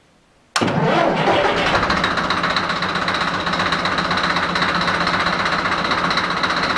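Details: Deutz F4L514 diesel after cylinder and cylinder head repair: fires straight away and settles into a steady, even diesel clatter with fan roar, no misses or odd knocks; healthy run.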